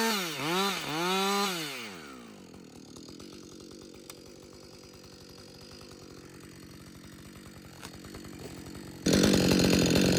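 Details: Husqvarna 562XP two-stroke chainsaw, back from the dealer after being reflashed for dying when hot and failing to start, now hot after long continuous cutting: revs up and down cleanly, steady idle, pulls hard at full throttle without stumbling or bogging; normal running.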